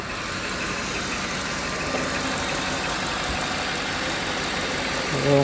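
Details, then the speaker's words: Cadillac, possibly a 2008, after misfire repair, with no check engine light. About three seconds after start-up, before heat soak: steady, even idle with no stumble or skip. Normal idle. "so far it sounds good. And it's been running for about 3 seconds."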